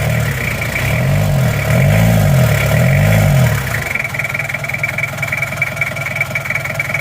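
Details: Toyota Kijang LGX diesel after valve clearance adjustment by replacing one shim, air filter removed: revs briefly then settles into a smooth, even idle with the bok-bok noise gone. Normal idle.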